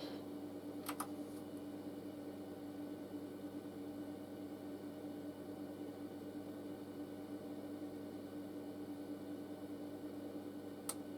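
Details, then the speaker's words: Audiolab 8000A amplifier at switch-on in a warm room: click, then faint steady hum until the protection relay finally clicks in about ten seconds later, far too slow. Owner suspects a DC offset fault, not confirmed. "it has come in this time but it's taking forever it shouldn't be that long so this amplifier has got a dc offset problem i'm pretty sure"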